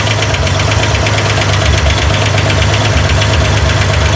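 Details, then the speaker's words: Corvair engine on a run stand during hydraulic-lifter valve adjustment: fast, even light ticking over a steady idle, barely changing as the adjuster is turned; valve lifter clatter from excess lash before tightening to zero lash plus 3/4 turn. "Well, there's the clatter you hear. You want to wait a second, make sure the clatter doesn't go away."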